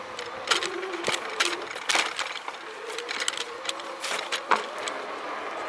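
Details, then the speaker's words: Volteco CYBER electric fatbike ridden after repair, camera on the handlebar: faint, even motor hum with light clicks from the bike and no squeak. Frame pivot-joint squeak fixed, chain cleaned and lubed; normal motor hum. "И теперь никакого скрипа нету. Ну, я очень рад. Цепь тоже смазал, почистил. Сейчас только слышно шум мотора."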